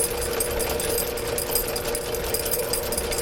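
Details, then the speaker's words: Electric drain cleaning machine restarted while clearing a sewer line, cable feeding out: smooth, even mid-pitched motor drone, no bogging or stalling; running properly. "all right let's try this again sounds healthier it's going Mike"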